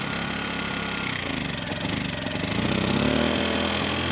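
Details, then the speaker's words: Kipor KGE 1000Ti 1000 W inverter generator, about 10 years old, surging and stalling since year 3 despite replacement carburetor, running on starting fluid: uneven hunting, pitch wandering then surging upward; lean running and stalling. "And surprisingly, the engine kept running without adding any more starting fluid. I mean, the engine was a bit unsteady, but it seemed like it was going to keep going, at least until I"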